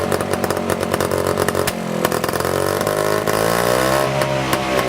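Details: 1955 Messerschmitt KR175-2b two-stroke, first start after about 60 years sitting, catching on the second try: raspy buzz runs continuously, rising and falling as the throttle is blipped; the engine is running again.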